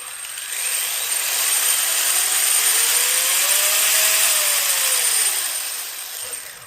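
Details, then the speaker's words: 1/10 HSP buggy with new ESC and motor on an intentionally overvolted 4-cell pack, garage test: a clean electric whine climbs, holds and winds down smoothly with no grinding; motor and ESC still cold, healthy running. "Definitely running on 4-cell. That's got motor. Feels alright."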